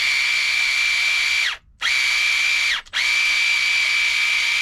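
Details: Traxxas TRX4 Sport with new Hobbywing motor and ESC, after reversing throttle on Spektrum DX5: clean steady high whine in three even throttle bursts, smooth spool-up, no grinding or ticking; normal motor run.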